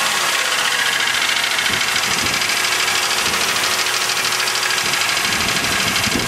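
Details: 2000 Chevrolet Malibu 3.1 V6 (3100), 145,000 km (90,098 miles), gasket replaced, thicker oil tried; fast, uneven light knocking over a hissy, rough idle that keeps pace with the engine; owner suspects piston slap, unproven.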